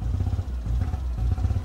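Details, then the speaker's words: Fiat 500 at idle after it was overheated and run until it stalled, with no throttle response: a deep, lumpy idle with uneven beats and brief sags as a misfire makes the idle wander. Melted plastic was found. "So, we're going to diagnose it and have a look and see what's going on here because that misfire sounds bad. And also, we haven't got any throttle."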